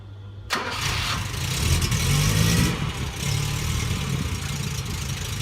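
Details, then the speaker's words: 1971 Fiat 850 Sport Coupe, nearly up to temperature, choke off: catches quickly and settles into a steady, even idle with no misses or knocks; healthy warm engine. "So not sure how well you can hear me over the engine, but as you can see, she is ticking along just nicely."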